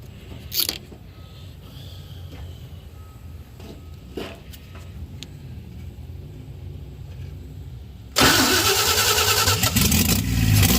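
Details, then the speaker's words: 1952 Chevy after freeing seized valves, rings and carburetor, started weeks later with a splash in the accelerator pump: it fires at once and settles into a steady idle. Normal start and idle. "valves rings were rings were froze up we got past that carburetor was froze up and we got through all that got it all taken care of and now a couple weeks later she's running and idling"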